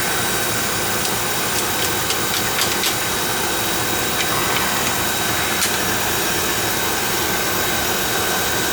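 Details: Oil furnace burner, checked after an oil-smell complaint and a fan that ran all the time, firing on a thermostat call: steady, even flame roar with only a few light ticks in the background; firing normally.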